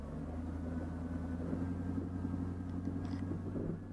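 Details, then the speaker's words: 2004 Chevy Tahoe with P0300 random misfire and stumbling at idle, brake torque test in Drive: steady, even low drone with no misfire, though a faint arc from a spark plug wire is still heard. "Miss fire. Not at all. No misfire. But I can hear that little arc still from that wire."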